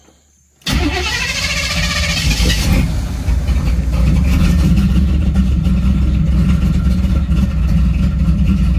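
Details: 1986 Camaro IROC after swapping the aftermarket mass airflow sensor back to the factory one: starter spins the engine at a steady fairly quick rhythm but it never fires; crank no-start, owner suspects the MAF sensor is bad.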